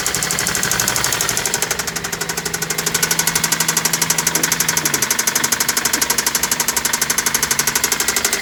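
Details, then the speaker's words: Replacement JDM engine in a Celica knocking badly at near operating temperature after about 10 minutes running: hard metallic knock about four times a second over the idle; owner says it is not just carbon buildup and needs replacing. "i think um this thing needs to be replaced because listen to that that doesn't sound like just carbon buildup that engine is knocking so bad"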